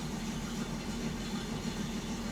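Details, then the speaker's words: 1967 Mustang V8 with Holley Sniper 1100 EFI after professional tuning, following shaky running since a timing chain replacement: steady, even low rumble with no shake or stumble; alternator now charging about 14; normal cold-start idle. "That was much better. She's certainly not shaking like she was yesterday when we cranked her up."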